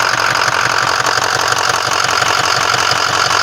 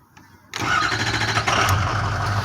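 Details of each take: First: 6.0 diesel truck that had been hard to start in cold mornings, cranking after its fuel injector control module (FICM) was replaced: rough, clattery idle with an uneven knock about twice a second. Bad injectors were found; the owner guesses they killed the FICM. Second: 6.0 diesel truck, fixed after FICM repair, previously hard to start on cool mornings: short crank, catches in about half a second and settles into a steady, even idle; normal start, much quicker than before.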